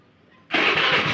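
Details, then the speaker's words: Honda Vario carburetor scooter that stalled and wouldn't start, after cleaning and tightening fuse holder, regulator/rectifier charging confirmed: starter catches quickly into steady even idle with clean regular beat; normal start and idle. "Ya seperti ini sudah menandakan eh apa pengisian itu sudah normal ya"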